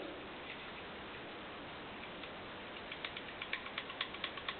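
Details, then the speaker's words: Honda CX500 engine under rebuild, a part turned slowly by hand gives a rough, uneven ratcheting click about twice a second, sharper toward the end; judged worn and wrong, to be discarded and replaced. "you hear that that's wrong it's not good"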